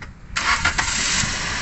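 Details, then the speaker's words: 2017 Toyota Vios manual, after cleaning throttle body and PCV valve: starter cranks briefly, engine catches cleanly into steady even idle, previous asthma-like rough running gone; normal start. "So ayan po mga kalbularyo, umandar ng makina at mag-observe lang muna tayo. Yan po, mag-observe lang muna tayo kung nawala na ba yung ginhaw-ginhawa ng makina."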